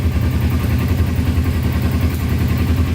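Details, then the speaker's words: Kawasaki Ninja sport bike bought non-running after sitting, oil level good, choke fully off: steady low burble at idle, even unbroken pulses, no misses or knocks; normal idle. "So everything officially works on it. Wow, that sounds really good."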